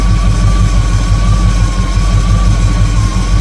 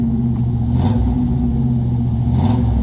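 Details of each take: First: 1958 Chevrolet Apache V8 after rebuild, idling during carburetor idle-mixture adjustment by vacuum: deep steady idle with slightly uneven loping pulse and faint whistle; mixture screw not yet at best vacuum, rough idle. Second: 1958 Chevrolet Apache V8 after rebuild, used marketplace parts, held around 2,000 rpm while first running in, heard from the rear: deep steady even burble, no misses, ticks or rasp; healthy exhaust note.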